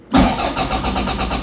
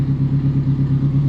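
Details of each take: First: 686 bhp time-attack Toyota MR2, unstarted for a while, small battery: the starter churns evenly at about seven compressions a second for four seconds and never catches; the battery is too low, and it started after charging. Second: Time-attack Toyota MR2 race car, 686 bhp at the flywheel, rebuilt after a crash, first start after charging its small low battery: lumpy, choppy but even, unbroken idle with a deep pulse; runs healthy.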